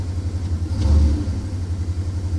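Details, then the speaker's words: Owner's rebuilt truck that sat 4 years unrun, now tuned up and running low on gas: low, even idle rumble with a steady beat and no knocks or misses; smooth healthy idle. "she purrs nice though, don't she?"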